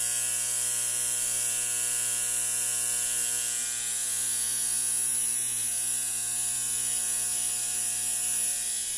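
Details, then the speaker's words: 1960 Zenith X519 clock radio during repair, alarm switch confirmed closed: steady, harsh electric alarm buzz over a low mains hum, unbroken and constant; alarm buzzer working. "okay the alarm is buzzing"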